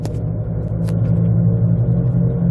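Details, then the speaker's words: 2007/08 Jeep Compass driven after sitting in storage: loud, steady low hum and grinding rumble while moving; owner suspects both wheel bearings failed from sitting, not the brake pads, unconfirmed. "as you can hear it's freaking horrific it sounds like they're grinding and humming and everything you can think of"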